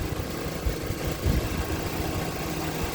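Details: 2024 Mitsubishi Xpander GLS idling after alternator holds 13.79 V with headlights and aircon on, battery-caused no-start resolved: smooth, even low hum at idle with no stumbles or misses; engine running normally.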